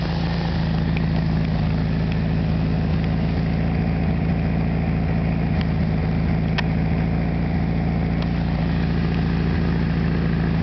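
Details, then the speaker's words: 1973 VW Super Beetle, rebuilt original 1600cc engine with about 150 miles, carburetor cleaned and idle just adjusted, warm, recorded about 20 feet away: loud steady low burble at 800 rpm, no misses or knocks; normal idle. "About 20 feet away, and I still have to yell. I don't know if you can really see it. It's idling at 800 right now."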